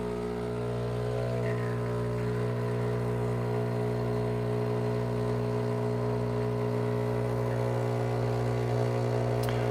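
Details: Breville Barista Pro pump pulling a shot from grind size 11, about 42 g in 30 seconds: a steady, even low buzzing hum without surging or rattling; the pump is operating normally.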